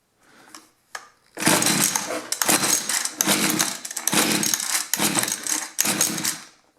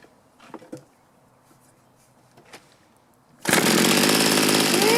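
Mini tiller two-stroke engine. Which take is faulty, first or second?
first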